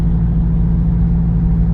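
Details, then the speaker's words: Truck at light cruise, heard in cab: steady deep boom at constant low pitch, no knocks; exhaust drone, driver suspects transmission stuck between gears and engine cylinder deactivation. "That like drone noise. It's like stuck between gears, and the engine goes to like a deactivation, I think. and you get that real drone feel."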